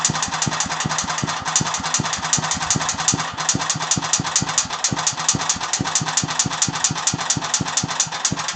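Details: Agros walk-behind tractor engine: sharp, even knocks about four or five a second over a steady idle, clearest after 1:00; internal engine knock, cause unknown.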